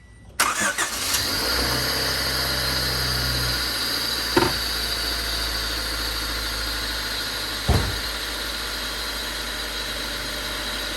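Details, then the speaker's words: Honda Civic after a track day with knocking, dead radiator fan and burst coolant line, very black oil but no metal shavings; recorded from inside the car, it catches quickly into a smooth, even idle with no bottom-end knock; engine still considered hurt. "sounds pretty good to me"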